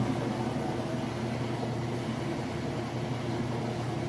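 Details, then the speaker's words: Admiral (Whirlpool-built) washer on final spin with a heavy jeans test load after rinse and drain: steady, even low hum of fast spin with no knocking, banging or scraping; nice smooth operation, spins normally. "As you can see, nice smooth operation. Sounds great."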